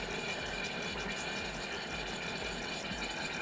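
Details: DeLonghi PrimaDonna Elite Experience after repair, hot chocolate jug mid-cycle: steady, even whir with a faint thin whistle on top, no knocks or grinding; jug heater and stirrer running normally.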